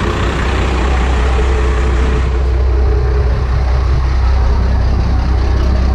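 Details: Second gen 12-valve Cummins, straight piped, after a preventive valve lash adjustment: loud, steady, deep idle with an even diesel clatter and no irregular knocks. Sounds healthy.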